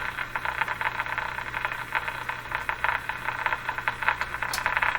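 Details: 1935 Rogers Model 7R622 tube radio during alignment, broadcast band at 1440 with a weak test signal. Steady hiss with faint crackle and a thin tone underneath; the radio receives normally on this band.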